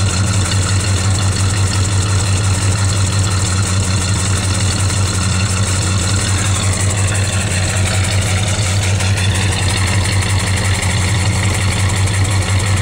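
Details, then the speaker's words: Plymouth Valiant cold start at 35 degrees: steady, slightly lumpy cold idle with a heavy, even exhaust throb and no knocks, running rich because the choke still needs fine tuning. "right she's running I still have to do some fine tuning on my choke it's still kind of Rich you hear the way it sounds there"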